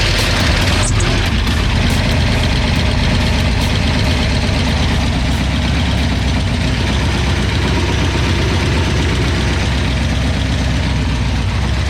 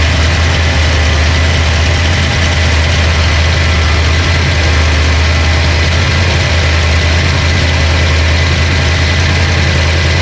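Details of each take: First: Mustang 302 HO small-block Ford, recently flooded by a sticking carburetor needle and seat, just restarted with fuel: a loud, deep idle that lumps and stumbles unevenly, really rough. The cause is unadjusted hydraulic lifters. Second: Ford Mustang 302 HO small-block V8 budget build after flooding (stuck carburetor needle and seat, fuel pump left on); now running way more happy: deep, steady, even idle rumble with no top-end ticking, healthy.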